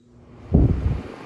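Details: 2025 Vornado 660 whole-room air circulator fan, first start after unboxing: soft airflow rush swells as it spins up, then a quiet even whoosh, no rattle or ticking; noticeably quieter than older units, healthy.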